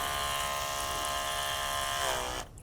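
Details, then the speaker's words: Portable 12-volt DC eBay pump (rated 9–14.4 V) feeding a DIY shower from a bucket: steady high motor whine drops in pitch over a fraction of a second and cuts out as the valve closes; normal pressure-switch auto shutoff. "So when the valve is turned off, there's enough pressure in the system, the pump will automatically shut down."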